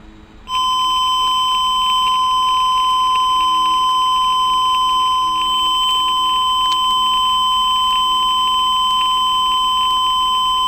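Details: TruSat TruSignal pulse oximeter: steady high-pitched electronic tone for about ten seconds in a quiet room; low-battery alarm.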